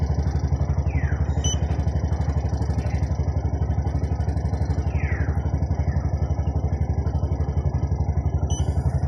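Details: Bajaj RE trike petrol engine idling smoothly with steady even putt about four pulses a second after repair; it had stalled and sat two months, cause no power to the fuel pump positive; no codes found.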